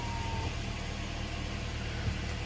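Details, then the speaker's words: Kia Sportage G4KD engine, 106,000 km, after overhaul with fresh oil, first start: steady, even low rumble with no knocks, ticking or extraneous noises; idles smoothly and sounds healthy. "работает ровно все хорошо ключ на крыше положено кстати тучей ну что никаких посторонних звуков абреков ничего нет"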